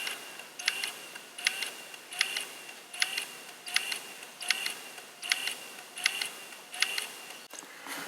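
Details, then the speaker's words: Sony MZ-R91 MiniDisc recorder, sold as dead: light high clicks repeating about 80 a minute as the loading mechanism keeps trying but never catches the disc; a clean and lube is suspected, cause not confirmed. "So it sounds like it's trying to load, but nothing's actually moving, and I don't know."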